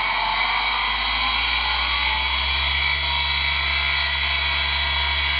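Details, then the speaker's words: Chinese VFD ZW-BT1 inverter driving the motor from a homemade wood lathe, test run: at 27 Hz it jerked (owner suspects poor bearings), at 50 Hz an even, steady hum and whine with no surging, normal motor run. "Даю вот до 50 уже нормально, ровно работает."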